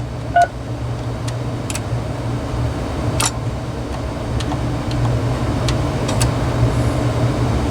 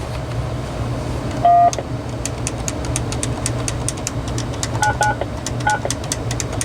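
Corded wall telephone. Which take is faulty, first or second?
second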